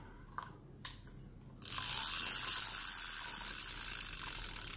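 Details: Reel no. 6, a 9500 with 4.2:1 gear ratio and a clicker that can be muted: a few crisp clicks, then an even, fast high-pitched ratcheting buzz as the handle spins; clicker working smoothly.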